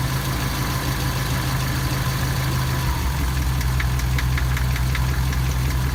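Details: Engine at low idle with a light, uneven tapping knock that becomes more noticeable later on; the cause is unclear.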